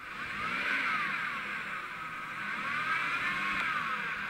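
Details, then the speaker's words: 21-year-old Impala: a whirring whine climbs and falls with each rev, even in park, and shifting worsens after it; transmission-related, possibly the torque converter starting to go out. "well I can tell by that noise that it's transmission related and on these things a lot of times it's the torque converter starting to go out"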